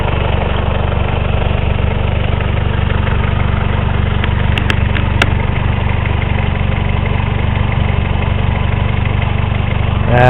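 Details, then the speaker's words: 1984 Honda Accord with straight-pipe exhaust at idle: loud uneven lumpy shaking beat, roughly four pulses a second, rough running after trouble off throttle on highway; cause unconfirmed. "i don't know if you guys can see this but it's shaking very badly"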